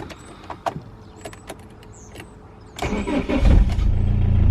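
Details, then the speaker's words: BMW E46 diesel after fuel filter replacement and priming the fuel pump: quiet, then starter catches and the engine fires immediately into a steady low idle, no long cranking; clean normal start. "Fired straight up, no problem. Now we just need to check to make sure we don't have any leaks."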